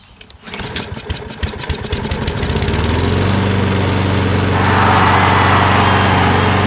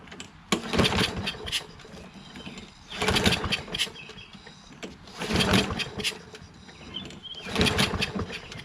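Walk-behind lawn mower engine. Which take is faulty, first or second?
second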